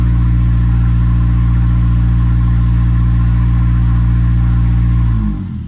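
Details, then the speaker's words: 2011 Nissan Altima after ignition coil replacement for a cylinder 3 misfire (P0303), in drive under load: smooth, even low hum at steady pitch, no skips before shutoff; healthy, no misfire, later 5-mile road test fine. "Still running great. I'm gonna do a final road test drive and everything good."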